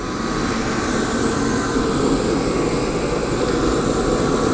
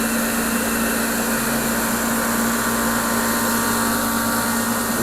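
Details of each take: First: Torpedo heater (ProTemp 45K BTU or Century 97K BTU), fuel pressure already adjusted, lit with a propane torch through the side holes in place of the missing igniter: steady, even roar of fan and flame with no sputter or surging. Normal burner operation; only the igniter is needed. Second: Torpedo heater (Century/ProTemp) running with its cover off, pump pressure reading high against the 3 psi spec: steady motor hum, fan rush and pump tone but no burner roar. It fails to ignite.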